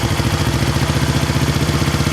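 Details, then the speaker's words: 1970 Honda SL350 twin after air leak and timing work: steady, quick pulsing idle with slight unevenness in firing; shifts hard and clutch still not right; uneven idle. "perfect but the probably has been running you can hear it um shifts kind of hard the clutch is still not right"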